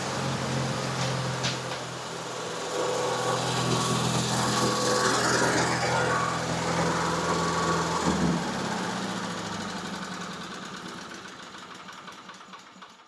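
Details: Miller Bobcat 225NT welder/generator with older Onan engine, after no-spark ignition repair: catches and runs fast with even beat, then settles smoothly to lower idle once warm; successful repair.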